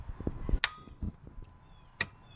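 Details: 2007 Ford Focus, key turned: two sharp single clicks about a second apart, engine never cranks; failed starter, fixed by starter replacement.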